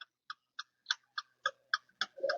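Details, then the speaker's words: Air conditioner voltage relay bench-tested with a series bulb: crisp dry clicking at about three a second across terminals two and five, with chattering on one and five, showing the relay switches properly. "इस तरह से ये आवाज आती है। अगर दो number और पांच नंबर पे ऐसे खटखट की आवाज आए एक नंबर पांच नंबर पे चिटिंग की आवाज आए और एक नंबर दो नंबर पे सीरीज का बल्ब जले तो समझिए कि ये वोल्टेज रिले हमारा सही है।"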